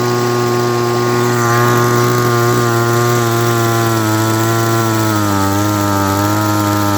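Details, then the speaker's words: Echo SRM-200BE two-stroke trimmer with throttle held wide: the high buzzy note holds, then sags and wavers into a misfire, loses power and dies; cause not confirmed. "foreign so that's what happens when I hold down on the throttle and don't let go of it it runs starts misfiring and then loses power and then dies"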